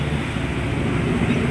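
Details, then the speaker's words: Cold-engine Raider 150 single that previously hard-started and died at 1000 rpm when cold: even low putter, steady beat, no stumbling, idle stable and slightly high; mixture being turned down a little. "stable na boss sa malamig no mataas pa nga eh oh bawasan natin ng konti kasi nagbukas na yung mixture eh"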